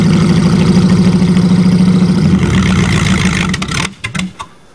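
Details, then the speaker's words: Chevrolet engine almost seized after 7 months with water in it: it chugs unevenly at about three to four beats a second, loses pace, stumbles and dies. A water-damaged engine running rough. "remember this motor is almost seized uhhuh it's had water in it now for 7 months"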